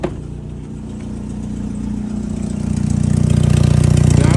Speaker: So there's still a huge leak right there, leading to a lot more noise.